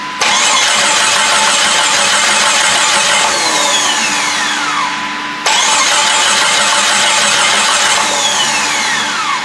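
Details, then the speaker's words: Jeep Grand Cherokee refreshed 4.0 with eBay turbo kit, first start attempt: steady fast cranking whirs twice without catching; fuel pump kicks in so crank sensor works, coil probably fine, owner thinks it's out of gas. Crank no start. "Fuel pump's kicking in, so that means crank sensor's working. I don't know that coil's good. I'm pretty sure it is. I think it's out of gas."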